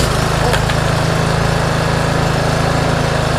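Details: Toro TimeMaster mower after fitting an aftermarket kill switch: steady, even single-cylinder chatter at constant speed with no misses or surging; normal running.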